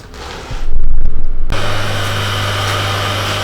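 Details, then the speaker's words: Grinder after swapping a crashed wheel for a new 150 x 20 A60 wheel, dressed a couple of times: a clatter at start-up, then a steady, low, even hum with very slight acceptable vibration. Normal running. "Beautiful. Very, very small amount of vibration, but that's acceptable."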